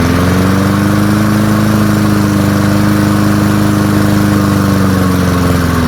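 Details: Early-1970s BF Goodrich push mower, a barn find that sat for years with a seized engine, now freed and running outdoors after carburetor diaphragm work: a steady, even exhaust note at constant speed with no knocks or misses. Normal running.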